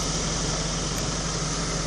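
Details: Hytrans HS150 fire pump unit diesel engine just started from the control panel: steady, even drone with a constant low hum and no knocks or surges. Normal running.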